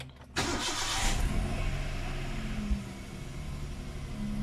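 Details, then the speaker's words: Hyundai Eon first start after DIY timing belt and tensioner bearing replacement: starter catches quickly, engine settles into a steady even idle, no belt squeak even with AC on; healthy start. "so I don't hear any squeaking noise let's switch on the AC no squeaking noise as well"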